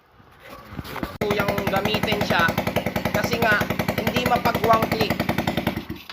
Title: #Gy6 hard start